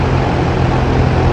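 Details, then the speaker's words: Trane XR13 AC outdoor unit after replacing a failed capacitor: only a steady low fan drone, no compressor hum; compressor not starting, tripped on thermal overload. "don't know if the compressor kicked on though one way to tell what's going on is to use your AC clamp meter"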